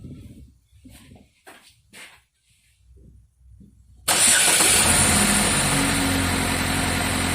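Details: GMC with 2.4-litre engine, codes P0300, P0352 and P050D (cold start rough idle): cranks and catches, then a busy idle with an uneven beat underneath; engine misfire at idle, coil current being checked.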